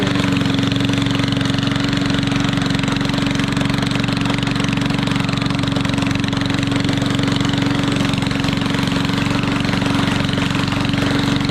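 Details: Yard Machines 22-inch push mower with Briggs & Stratton engine, after mouse nest cleaned: rapid, even, harsh popping bark at steady speed, far louder than normal; runs well but has no muffler.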